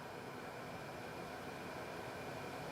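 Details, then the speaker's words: Lexus RX400h with hybrid battery cover off, battery cooling fans driven at full high speed by a scan-tool actuation test. A steady, even rushing whoosh with no ticking or rubbing. Normal hybrid battery cooling fan operation. "it sounds like a little tornado back there vacuum cleaner but those fans are getting pretty loud they're all the way on high speed now"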